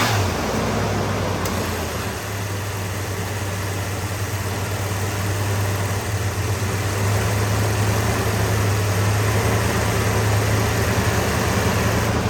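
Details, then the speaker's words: Ford Bullnose 460 V8 A/C converted from R12 to R134a, pressure switch adjusted to engage at 42 psi and cut out at 25: steady idle, then a sharp click and slight change in engine note as the compressor clutch pulls in; clutch works normally. "Okay, so I'm gonna fire it up. Show you that the clutch works."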